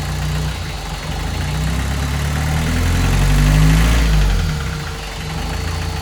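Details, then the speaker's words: VW 1.6 diesel swapped into a Ford Ranger, first start after rebuild with new piston and cylinder head following an exhaust valve failure: deep, heavy, uneven thrum around 3.5 beats a second, vibrating more than normal. "normally vibrates a lot but that seems like a lot more than normal more vition"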